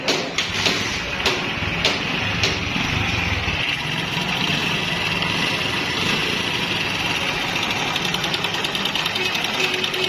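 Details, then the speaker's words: Honda CD 70 motorcycle engine idling with a fast, dry metallic rattle on top, from a worn timing chain that is to be replaced with a new timing chain set. "दोस्तों यह आवाज़ आपने सुनी Honda city 70 के engine से इस तरह की आवाज़ आए तो वह टाइमिंग चैन की आवाज़ होती है"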